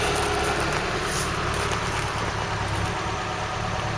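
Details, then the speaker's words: Ford Cortina Mk3 2-door GXL, 2.0 automatic, left in a field since 1983 and running again after brake and fuel-line repairs: a quiet, steady, warm idle with no ticking or knocking. It sounds sweet, with no smoke, and holds its pressure. "no smoke when it starts up no smoke when it's running really sounds sweet"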